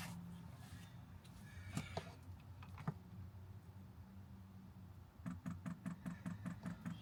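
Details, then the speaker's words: 5kW Chinese diesel air heater powered by Jackery 1000 v2, normal startup: low fan hum then quick steady fuel pump priming ticks; looking good so far, some air in the fuel line. "Looking good so far. Looking good so far. Bit of air in there."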